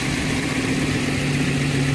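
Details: 2009 Ford E-350 5.4 V8 after replacing a very dirty throttle body: even, steady low idle with smooth rumble, no misses or surging, though the new throttle body still needs its idle relearn.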